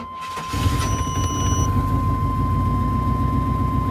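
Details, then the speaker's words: 2000 Chevrolet Tahoe Z71 5.7 liter after installing a new distributor and cap; engine catches after a brief hesitant crank and settles into a steady low idle with a slight miss; hard starting again. "did that again where it was difficult to start."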